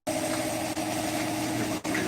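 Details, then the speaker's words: Cadillac CTS-V first start on the new motor, after fuel pressure was doubled to base spec, running rich: settles into a steady, even idle with a constant hum and no knocks or stumbles; normal idle. "sweet. Well, it runs. That's a good thing. Yes, it runs. It runs."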